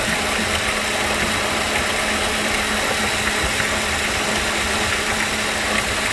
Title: Ac Compressor Noise